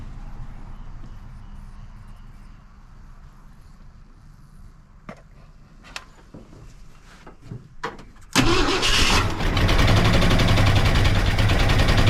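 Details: Wrecked 1974 Ford F100 parked for years, after correcting three plug wires in the wrong firing order: cranking and weak catches, then lights off into a strong, even high idle; running much better.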